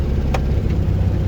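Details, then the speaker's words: 1969 VW Beetle after tightening idle adjustment to stop cutting out, stopped at traffic lights on road trip: steady, slightly quick idle with no stumble or hunting; idle set a bit high, needs slight adjustment. "we've got another set of traffic lights coming that we'll have to stop that car's written well even if it's icing a bit high so there is perhaps a little bit of adjustment to do"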